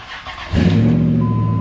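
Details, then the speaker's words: 2003 Dodge Ram Hemi, 411,163 miles, battery at 12.17 V after sitting a week. Heavy, sluggish groan of the starter turning the engine slowly without catching; worse when hot. Owner suspects dirty starter power wires and mounting surface. "you hear Howard that's the problem I'm dealing with so when it gets hot it really does that like to the point that the truck doesn't want to start"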